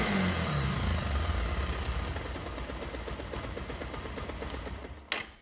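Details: Bajaj Pulsar single-cylinder motorcycle engine revs up and winds down smoothly, clean exhaust beat, no rattling or chatter from the top end; normal revving.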